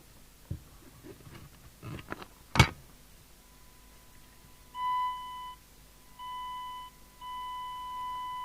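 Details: 1991 Midland 77-1165 CB27/81 UK FM CB radio with a crystal-filtered receiver, after retuning (power 3W to 3.9W, deviation had been 6.5kHz): a clean steady one-kilohertz tone in short bursts, undistorted through the speaker. Receiver audio works properly.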